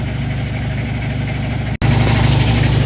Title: Washer Making Loud Noise - What can I do to Fix It?